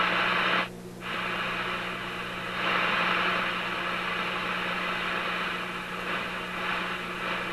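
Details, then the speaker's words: Simplex antique tube radio on test, touching the probe to a 6A7 pin: steady hiss and hum cut out abruptly, return and waver; output unstable, cause unknown. "what happened i just touched the wow something changed something changed in the radio when i touched that pin it's not happy there there it is again"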